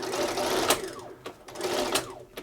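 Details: Bernina 930 Record Electronic sewing machine at full speed; even, rhythmic stitching bursts with crisp needle strokes and the normal clicking of the needle positioning system, which stops the needle up; runs smoothly.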